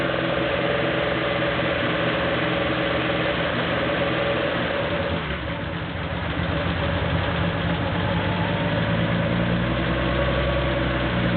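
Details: Porsche 911 2.7 L flat-six, early S cams, twin plug, 46 mm PMO throttle bodies, Tec3 management, warming up with throttle linkage refitted while both banks are checked for balance: steady, even idle with a smooth low rumble, no misses or knocks; normal idle.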